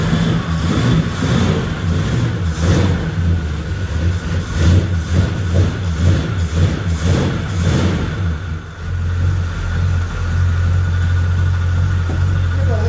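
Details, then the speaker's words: 1966 Chevy Impala revived after about 24 years, running on chainsaw gas with oil, smoking a little; engine blips and idles with a thin steady whine over the revs; power steering pump whine from low fluid. "Power steering's low, I can hear that."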